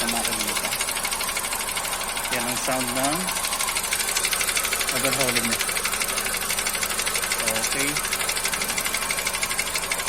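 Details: Kia Cerato engine at idle: hollow light knock about three times a second riding steadily over idle, a cold rattle of piston slap; engine then overhauled with pistons, rings, main and rod bearings replaced and standard-size cylinder liners fitted.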